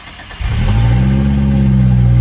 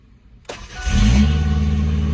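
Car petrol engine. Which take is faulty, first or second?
second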